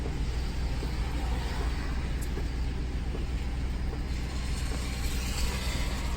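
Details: Cold start in rain on a 2007 Chevy Tahoe Police Interceptor, automatic, 209,178 miles: steady low rumble at cold idle with no ticking, knocking or misses, settling evenly; healthy.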